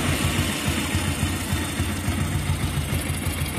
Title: Bike Head Noise Problem in Tamil